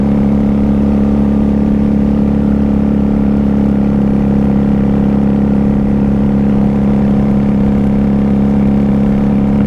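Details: 1994 Honda Magna 750 VF750C riding in fifth gear around 3,500–4,000 rpm: steady firm engine drone, no clear surging or misfire; rider feels power down as if low on fuel despite fuel in tank, cause unconfirmed.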